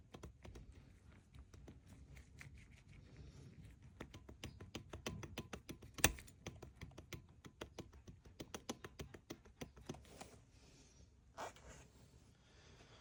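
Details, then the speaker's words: Old supercharger belt tensioner pulley bearing from a Mercedes CLS 55 AMG, fitted on the replacement body and spun by hand, gives an uneven, dry clicking rattle with no smooth spin, showing play. Worn tensioner pulley bearing, replaced. "And here I put the old bearing on the replacement body. And you can really hear how sound how it plays."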